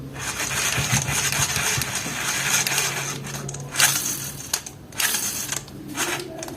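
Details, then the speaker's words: Pro Tamba baitcasting fishing reel cranking with harsh rattling grind and fast clicking instead of smooth spin, before disassembly, greasing and oiling the bearings, after which the noise stopped. "muito barulho né que que eu vou fazer vou abrir ela vou desmontar ela vou dar uma engraxada vou colocar um óleo nos rolamento"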